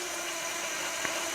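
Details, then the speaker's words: Central heating radiator being bled via bleed valve with radiator key: steady hiss of air venting with one brief splutter near the end before clear water stream; trapped air escaping. "Once we get a nice clear stream And there you go, that's a little splutter."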